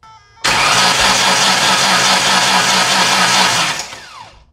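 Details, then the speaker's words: 2006 Ford Ranger 4.0 OHC V6, no stored codes, fuel pump running: steady quick even cranking whir that never fires; crank-no-start from timing chain that jumped teeth and bent a valve. "there's no stored codes of any kind it's a crank nose start it sounds like maybe the timing change broke or something sounds like it's trying to do something i don't know"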